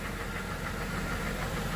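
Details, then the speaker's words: Ford Crown Victoria Police Interceptor V8 with no transmission fluid, after being driven: rough, uneven idle with knocking and misfiring; cause not confirmed. "the thing I don't understand there's no transmission fluid the engine is knocking it's misfiring"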